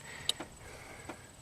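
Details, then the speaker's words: 2008 Saturn Astra, towed in immobilized: a few faint, sharp, irregular relay clicks over a quiet cabin when the left turn signal or headlights are switched on; a bad ground at G101 through the electrical center causes the turn signal relay clicking. "why is it clicking and why are the headlights not turning on well that's because this electrical center controls the headlights and the ground is through g101"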